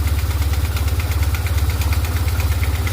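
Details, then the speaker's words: BMW R1150GS, hot idle after riding (four bars of oil heat): a sharp, regular tick about three times a second that appears once warm, suspected to come from the lifters, not the cam chain tensioner. "Sounds like it's coming from the lifters right around in this area here to me."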